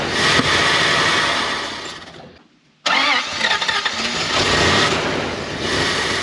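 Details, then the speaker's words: Dodge W300 dump truck, restarted after sitting a year with a splash of gas in the carburetor: the starter spins hard in long bursts and the engine briefly fires but won't keep running, as fuel seems not to be getting to the carburetor. "seems like the fuel is not getting to the"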